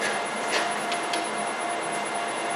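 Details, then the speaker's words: Land Rover LT230 transfer case centre differential, out of diff lock, with one output shaft held by hand. The straight-cut spur gears give a steady mid-pitched whine with a thin high ring. The differential is working, and the front shaft turns at 180 RPM. "These gears are coming to operation, and because they're not like on a helix, they're just flat gears, they're making that noise."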